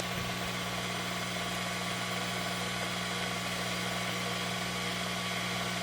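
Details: Ya Xun 902+ hot-air rework station with air at maximum and temperature around 400–450 °C: steady low motor hum with fine, even buzz, no rattle; normal pump noise.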